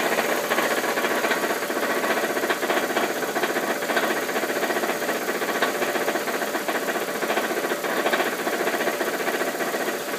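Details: 2001 Ford Focus idling: fast, loosely regular metallic rattle, about three to four per second, from the belt housing. It goes away with throttle or at highway speed, and the torque bolts have been checked. Source unclear.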